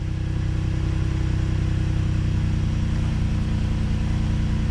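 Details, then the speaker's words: 2014 Mercedes-Benz C300 V6 just after misfire repair, freshly started cold in winter, injectors just primed, coolant low: steady, low, mostly smooth idle, smoother than before but still slightly hunting in its beat. "definitely feels a lot smoother than i did before but let's let it warm up and see how it does it's still jumping around a little bit"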